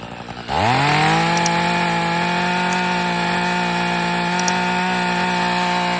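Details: Echo two-stroke hedge trimmer/trimmer, after being badly flooded and dried out, fires, revs up quickly and settles into a steady, even buzzing idle; may smoke initially.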